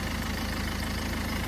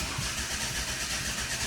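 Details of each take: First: 2011 Ford Focus turbodiesel after a crank-no-start with no fuel pressure, jelly-like debris found: steady, even diesel clatter at idle with smooth unchanging rumble, no misses or knocks; normal idle. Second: 2011 Ford Focus 1.6 turbodiesel, flat battery on arrival: spins over steadily for about six seconds but never catches, then stops; crank no start with no fuel pressure.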